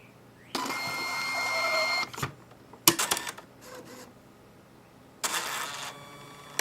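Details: Catalina CMC6 checkout-lane printer after a print-head cleaning cycle and reset via the front reset button: short bursts of whirring and clicking as the print head carriage cycles, with quiet pauses; normal reset cycle.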